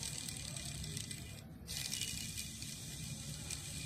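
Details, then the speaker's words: Honda Activa 5G with the engine opened, crankshaft ball bearing spun by hand: dry, gritty rattle instead of a smooth spin because the balls are worn and pitted. "इसके अंदर जो ball bearing होती है ये जो छर्रे होते हैं उनमें घिसावट आ जाती है। दाने पड़ जाते हैं। तो इसके कारण इसकी जो स्मूथनेस है वह चली गई है।"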